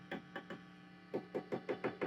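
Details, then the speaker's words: Fender Twin Reverb '68 Custom reissue, tapping a preamp tube: each tap rings through as a short hollow bong; slightly microphonic tube, to be swapped. "Uh, but for now, I'll probably try swapping in different AT7s from these for this tube, which we can hear is a little ringy."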